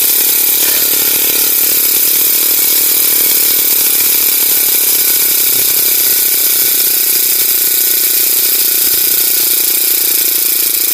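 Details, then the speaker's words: Honda GX35 grass cutter, previously stalling even at full throttle and not cutting, after carburetor cleaning: high, buzzy, steady run holding pitch without sagging, stumbling or cutting out; no longer starving, running cleanly. "guys hindi na siya kinakapos guys h na siya kinakapos lilinisan lang natin yung karburador niya"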